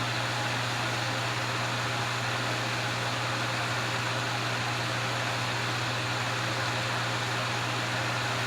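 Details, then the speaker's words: Vintage Wizard hassock fan with motor transplanted from a Mainstays box fan, on medium, a tad slower than high: even airy rush with constant low mains hum, no rattles or wobble; normal running. "Medium really isn't that much slower than high. It's a tad bit slower. It's still putting out that breeze."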